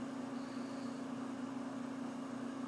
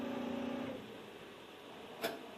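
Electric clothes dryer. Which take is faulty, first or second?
second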